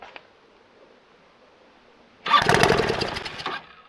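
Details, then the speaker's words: Homemade reverse trike with a scooter engine, sitting for years after a crash, on a block: silence, then a one-second burst of uneven popping that catches briefly and dies; owner says it's about to flood, suspects a stuck needle, tries hand choking. "about to flooded itself out needle might be stuck let me try hand choking it"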